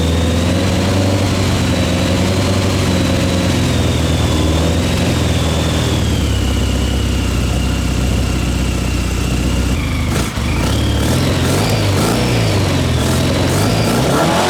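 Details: Old Honda CBR600 engine in a reverse trike project, first run after carburetor cleaning and two years sitting: steady even idle with a smooth low beat, then clean throttle blips that return promptly; runs, though not perfectly tuned.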